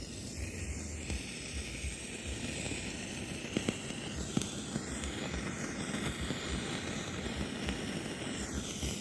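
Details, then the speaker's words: Ashley ACT500Pro active speaker with controls turned down: constant faint crackling hiss like falling rain, likely from a preamp IC or its power supply. "Kalau suara masuk ya, tapi suara seperti itu mendesis, yaitu bisa dari preamp-nya."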